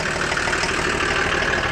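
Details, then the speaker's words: Old boneyard-ready turbo diesel car with an open intake. Steady, even idle clatter, no stumbles or odd knocks, runs like brand new. Normal idle. "as much as it's ready for the bone yarn it runs like brand new it's got an open intake over here so when you done it you can hear the turbo kicking it works nice"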